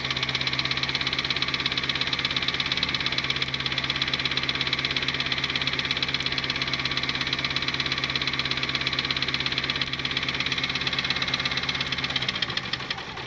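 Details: Turbo Honda Civic (R18 turbo kit) after engine failure, leak-down test fine: light regular tapping knock about twice a second over a slightly uneven idle, timing chain throwing oil; knock source unclear, misfire and check engine light followed.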